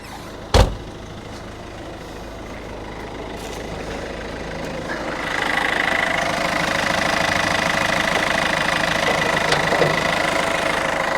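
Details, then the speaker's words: 2006 Peugeot 206cc, about 20 years old, unused for over 12 months, engine bay open; quiet start, then a steady, even idle with no knocks or misses; engine sounds good, normal idle. "Yeah, the engine sounds good. Looks clean for 20 years old."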